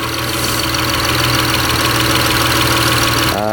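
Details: Mitsubishi Eclipse 6G75 engine just reassembled after timing belt work, cold start at about 40–45°F: steady, even cold idle with smooth hum, no misfire or knock; runs smoother than before, some oil burning off.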